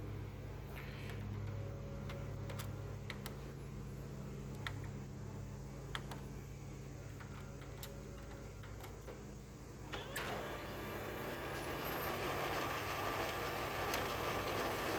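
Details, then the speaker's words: HP M602 laser printer, known-good machine with a test cartridge: soft clicks and ticks during warm-up then steady whirring rush as page feeds; normal healthy operation, prints fine. "Everything sounds good, everything prints good on this one."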